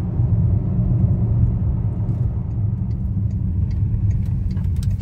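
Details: VW Touareg V10 5L biturbo diesel, after repairing a turbo boost-pressure loss on the intake (codes P2279/P0299, limp mode, black smoke): deep, even rumble under steady driving with no misfire, knock or whistle; pulls smoothly, normal running under load.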